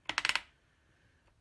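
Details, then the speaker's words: BSA A70L front drum brake, adjuster turned through the hub inspection hole before installation: five crisp, evenly spaced clicks as it steps against its ratchet; normal drum brake adjuster ratchet clicking. "you can hear it clicking against its ratchet and I'll show you how to adjust these properly when we're on the bike"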